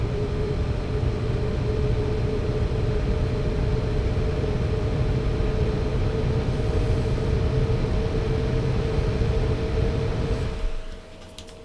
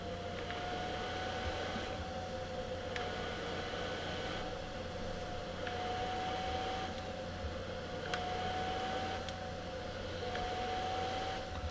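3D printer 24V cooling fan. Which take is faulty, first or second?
second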